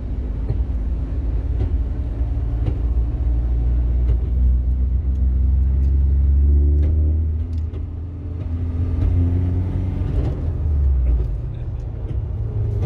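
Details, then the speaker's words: Ford Ranger 3.0 Power Stroke diesel, 175,000 km, with 4x4 engaged: deep rumbling drone with a wavering growl from the gear lever area, worse with four-wheel drive on. The customer thought it was the gearbox, but the source was elsewhere, pointing to the transfer case. "No mínimo assustador esse barulho, não é mesmo?"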